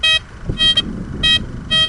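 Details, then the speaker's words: Blisstool v3 metal detector on a ploughed field: short warbly high bursts about every half second drift and break up over a wide area, an iron ghosting signal, whereas a non-ferrous target would be spot-on and sharp; left undug. "Okay, guys, that's no good. I'm going to leave that because that's just such a wide ghosty area. Your non-ferrous will be spot on bap."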